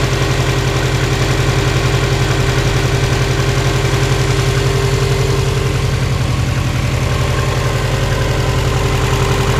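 Cold idle carries a steady hollow clatter, about four knocks a second over the low rumble, typical of cold piston slap.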